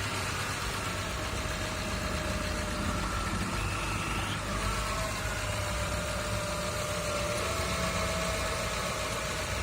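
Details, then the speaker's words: Honda Civic at low idle after repairs following a robbery, including a replaced alternator and a fitted hydraulic power-steering pump: a thin, constant whine above the engine note from the alternator area; owner unsure if the replaced alternator is the cause. "só o barulho está por essa região aqui a parte alternador não sei se tem alguma coisa a ver que foi trocado"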